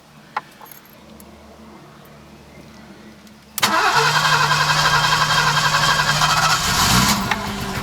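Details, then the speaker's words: Alfa 90 on its first start attempt after 22 years standing: starter spins evenly about three seconds, engine sputters briefly but never runs; crank, no start. "let's put it in play and see if it starts and there we are as well Oh nearly though let's try it again"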